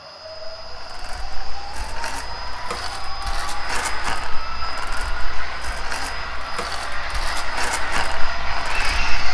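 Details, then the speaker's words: Toy tank's electric drive motor whines under rough gritty grinding; gears were too loose (excess clearance); grease only partly quieted them, fixed by loosening two screws and repositioning the motor. "So my gears were too loose, and that's why y"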